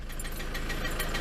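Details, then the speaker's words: Ford Transit van idling warm for a long time, around 80°; steady rapid ticking knock over engine note persists when warm; cause unknown. "I've left it ticking over for ages now it's just up to about what 80° something like that I don't know but uh you can still clearly hear that ticking can't you that"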